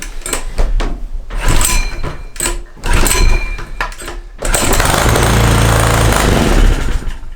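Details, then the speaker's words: Small gasoline engine fed hydrogen from homemade water electrolysis cell after about two minutes of gas production; irregular sharp pops and bangs, then a brief rough roar that never settles; won't run properly on hydrogen. "And hopefully it's enough gas to see if it's popping off or not. You should be able to hear that."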